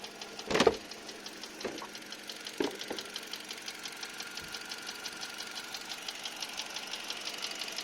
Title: Стук двигателя ,перекладка 4го поршня ?или пальца ?